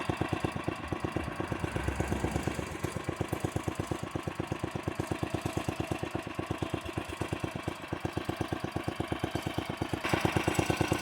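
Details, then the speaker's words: 1968 Sears Suburban 12 yard tractor with a 16 hp snowblower engine, left running at its set lowest idle: slow, distinct single-cylinder chuffs with an even beat; a healthy, very low idle. "as you can see I really do have it set to idle low though I think it goes even lower not as low as I got it set to go but that's its lowest idle it is really low"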